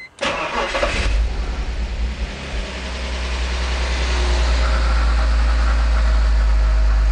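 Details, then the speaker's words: BMW E46 with a rebuilt M54 engine, first start-up after a rebuild and exhaust manifold install: fires and idles with a light, regular lifter clatter. The lifters are dry and expected to fill back up with oil. "so that knocking is the lifters they're going to fill back up"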